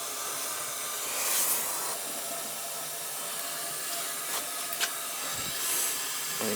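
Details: Oil-fired boiler being refilled after a no-hot-water and leaking repair, air purging automatically through the high vent: steady airy hiss with faint sputters as trapped air escapes during filling, which is normal.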